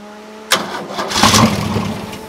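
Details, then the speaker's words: Caterpillar D2 crawler converted long ago to a Holden 202 petrol six, last run about 12 years ago: with petrol poured down the carb it cranks, fires sharply, then dies. Spark confirmed; fuel in the filter but apparently not reaching the bowl (suspected stuck needle or stuck throttle plunger). "it's she's definitely got spark but it's not getting into the bowl I don't think it's definitely there but the needle pull the top off that carburet"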